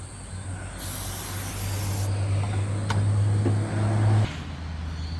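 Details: Nissan Navara D40 diesel after primary fuel filter replacement: long steady starter whirr with no catch or firing, air left in the fuel; hand primer unreachable so it is bled by long electric cranking, starting fluid then tried without success.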